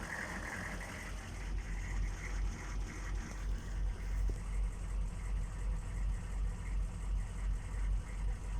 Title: 6.5 turbo diesel rough idle